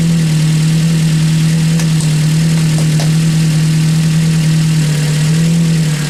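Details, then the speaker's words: Ford Focus just reassembled, idling steady with a constant low droning whine on top; owner hopes it is air still in the system that will clear, otherwise suspects the pump needs replacing. "it does work but it ain't it's making a bit of noise"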